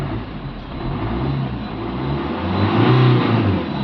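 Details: 2011 Maruti Suzuki Ritz diesel after a no-start wiring fault was repaired: even diesel rumble that climbs smoothly with each throttle blip and settles back cleanly, no misses or knocks; running healthy.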